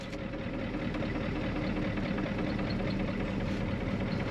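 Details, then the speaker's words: 1993 Ford F250 IDI diesel, started after sitting about ten days, idles jerky and shaky with uneven, lumpy clatter and no steady rhythm; heavy diesel leak and smell. "holy he's jerky shaky do you smell the diesel this is leaking diesel like no other"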